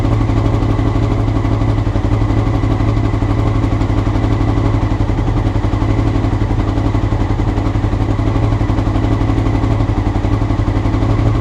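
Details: Honda CBR motorcycle, clip from before the float needles were changed: loud, low idle pulsing unevenly about four beats a second, hunting rather than settling; rough idle, cause suspected, not confirmed.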